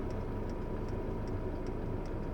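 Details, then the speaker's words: Chinese diesel night heater in a camper van, running on red diesel and turned down to its low setting: soft, even dosing-pump clicks about every 0.4 seconds over a low fan hum, quieting as output drops; normal. "I normally just have this on its low setting which is that one which as you can hear it's turning things down the fan turns down the diesel fan the diesel pump sorry which is the clicking noise you hear that goes right the way down"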